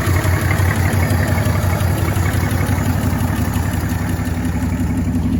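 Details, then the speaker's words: 1965 Chevrolet C10 short bed inline six, sitting since 1994, running on fuel poured into the carburetor: steady, even low rumble with regular beat, no knocks or misses, smooth as a sewing machine; normal idle. "How in the world can you beat that? I mean, it just runs like a stinking sewing machine."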